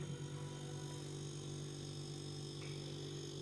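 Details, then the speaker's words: Refrigerator that wasn't cooling because its compressor wouldn't start; after fitting a new relay/overload unit on the compressor's three pins and powering it up, the compressor runs with a low, steady hum and no knocking or rattling, now working normally. "तो ये अब compressor जो है ठीक तरीके से काम कर रहा है।"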